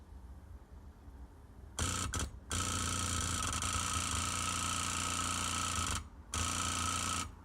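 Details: $90 pump from an Onan generator in an MCI MC9 bus, bench-powered from a lithium battery after being tapped free: steady buzzing hum with fast even ticking, stopping and restarting cleanly; normal running.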